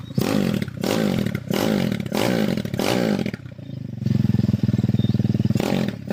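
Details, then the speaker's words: Honda Tiger engine bored up to 71.5 mm with a Jaguar 250 block and head, bench-tested off the bike after rebuild; crisp throttle blips then an even, rapid steady beat, running fairly smooth. "Ya lumayan halus suaranya. Tinggal tes di atas motor."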